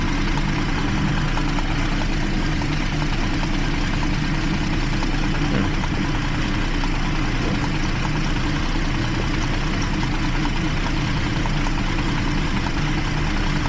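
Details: 2012 Jeep Liberty 3.5 L V6, misfire on cylinders 1 and 5 after coolant soaked the secondary ignition; engine hot, sounds steady and even with a deep smooth rumble and no audible skips, though a cylinder 1 misfire was logged.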